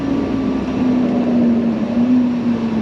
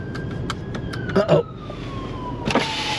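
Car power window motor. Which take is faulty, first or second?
first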